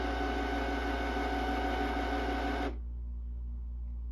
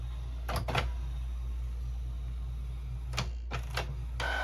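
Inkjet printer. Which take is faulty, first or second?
first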